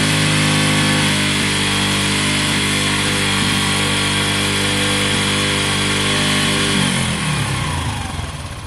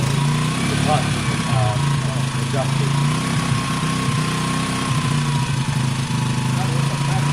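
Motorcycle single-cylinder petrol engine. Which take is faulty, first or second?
first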